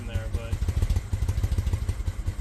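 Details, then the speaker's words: 2000 Honda Shadow ACE 750 V-twin on starter fluid, choke out, fed from a temporary bottle tank through a small fuel line: low, uneven putter that stumbles and never settles; owner suspects fuel starvation through the small line. "So, I think it's having trouble getting fuel through such a small fuel line that we have set up here."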